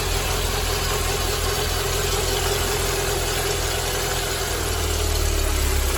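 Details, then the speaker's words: Mercedes-Benz W201 190E 2.0 (M102) idling with a low, gravelly rumble under the engine note from a worn-out belt tensioner; tensioner, damper, adjuster and belt replaced, after which the noise was gone. "ゴロゴロとした異音が聞こえたと思います。今回はベルトテンショナー、ダンパー、調整金具、ベルトを交換させていただきます。"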